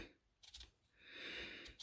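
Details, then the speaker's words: Honda TRX-250 Recon starter removed from the ATV, shaft twisted by hand: short dry scratching crunches; starter rough inside, owner unsure whether the brushes are gone or something else failed. "and I'm really having to twist on the on it to start so it is really crunchy in there so I'm not sure if the brushes are uh gone in it or what happened to it"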